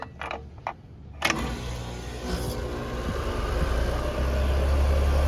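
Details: HVAC condenser unit restarted after a capacitor replacement: a click, then the compressor catches and settles into a steady, even low hum. Compressor draws 3.9 A, whole unit under 5 A, possibly about 1.5 ton; normal running.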